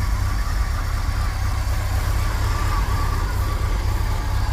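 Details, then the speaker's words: 1980s Chevy K30 dually 4x4 dump truck, long parked, warming up on old gas after cold start; steady, even low rumble, no misses or knocks, settling smoothly; normal warm-up idle. "especially because that's pretty old gas but she's running idling good I'm gonna let her warm up for a second"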